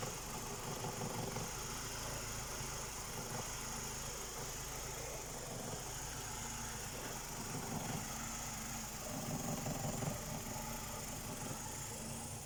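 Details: BMW E90 with N46 engine after fixing a crank-no-start with fault code 2F44 by syncing the EWS and engine ECU: quiet steady idle with a light even hum, no stumbling or knocking; engine sounds healthy.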